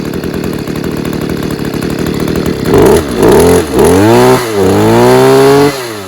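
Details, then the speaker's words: Stihl KM94RC combi two-stroke after an engine refurb, cold start on choke, revved gently to run in new piston rings: picks up from a rough choked idle into steady blips and a clean, even buzz with no misfire; running well. "so yeah i'm not going to rev it too hard at the moment i'll work it too hard because i want them piston rings to run in and that but um yeah um running well sounds good"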